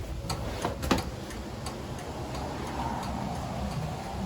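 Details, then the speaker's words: 1936 Chevy coupe, universal turn signal switch after snipping the blue indicator-light wire: loud, sharp relay clicks at an even pace, with the left front and rear signals flashing; flasher now working normally. "quite a loud click can hear out my lobby we have flashing on the left"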